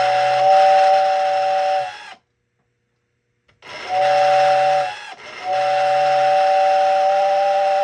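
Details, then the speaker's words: American Flyer #568 steam whistle on transformer with whistle button: steady hooting two-tone whistle in separate clean blasts; works, though owner unsure it sounds as intended. "so I don't know if that's what it's supposed to sound like but it works to some degree and it comes with the whistle button"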